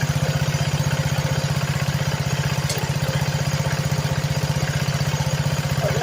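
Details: Homemade go-kart with a small single-cylinder engine (modified rope start), in neutral, just after new belt and cables: quick, even putter at steady idle, no knocks; clutch spinning, some smoke clearing after it was tipped up.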